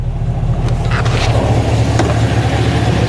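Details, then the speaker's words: 2011 Chevrolet Camaro SS, LS3 6.2L V8 with long-tube headers and straight exhaust, after repairing an engine noise: low, even, smooth idle with no knocks or ticks, earlier shake gone, oil pressure 30 at idle; normal idle. "yep yep sounds good all our vitals are looking all right"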